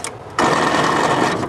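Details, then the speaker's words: 1946 International KB1 truck abandoned 50 years, old starter, engine hot after repeated tries: short high electric whir about a second with no engine turning; starter spins without cranking, battery or failed starter suspected, starter favoured. "that sounds like the battery though doesn't it either that or the starter just completely completely went out"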